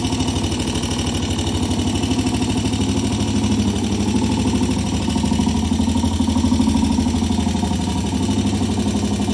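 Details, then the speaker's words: Single-cylinder 200cc four-stroke race bike (T20M) running warm after a cold start, around a test ride: even thump at about three beats per second, steady with no knocks or misses; normal running, sounds good. "Yeah, she runs fine. >> It sounds good."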